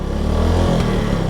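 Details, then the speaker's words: 2025 Suzuki Smash motorcycle at about 5,900 km after an oil change, revved outdoors to check an earlier ticking: short even rev, smooth low drone with no ticking on top; the early tick has gone and the engine sounds healthy. "Ayan, nire-rev ko may naririnig pa ba kayo? Parang wala na. Goods na yung tunog ng makina niya"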